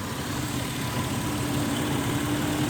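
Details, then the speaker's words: 2001 Ford Explorer Sport that died idling at a light and cranked but wouldn't start; swapping the PCM/EEC relay fixed it: smooth, even idle hum with steady low drone and no stumbles; normal idle after repair. "this relay right here I removed this relay and I put the one that was right here right there and it started right up and that was it"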